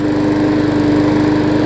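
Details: New 2013 Murray push mower after a hard rubber piece stuck in the intake valve was removed, fixing lost compression: steady even firing at constant governed speed, no misses or knocks; runs smoothly.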